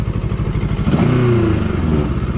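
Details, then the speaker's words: JEDI K750 motorcycle, engine similar to a Kawasaki design, dual throttle cables: throttle blip brings a rising tone with a light clattery buzz; body panel rattle, possibly because the bike was previously crashed and disassembled. "发动机的响应是比较快的，但是能够听到这个车壳是有一些异响的。当然，这个异响很有可能是来源于因为之前撞过，然后又拆过。"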